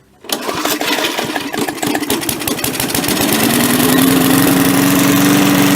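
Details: MTD push mower after carburetor cleaning, new air filter and new spark plug, started on slow (turtle) throttle: pulls over and catches at once, a little choppy, then settles into a steady even idle as pitch rises smoothly; normal start and idle.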